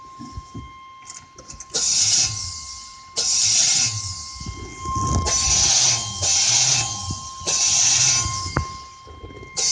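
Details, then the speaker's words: 1999 Chevrolet Suburban cranking: repeated short bursts of harsh, hissy grinding as the key is turned, engine never starts; battery charged and reading nearly fine, previously backfired until cap and rotor were replaced. "uh my problem is when I try to start the car it just grinds and I tried charging the battery but it just wouldn't work"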